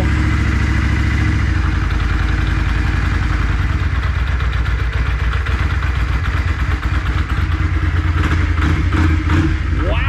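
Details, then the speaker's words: 1994 Yamaha Virago XV535 V-twin just after carburetor vacuum diaphragms were replaced; even, steady beat with no misses, picking up cleanly on quick throttle blips, crisp throttle response: normal running. "first of all this bike sounds like it's running way better throttle response is crisp"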